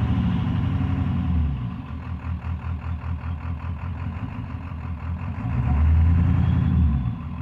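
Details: 7.3 PowerStroke diesel floored, blowing blue smoke: deep rumble with uneven, stumbling pulses worsening as revs climb, misfire under acceleration.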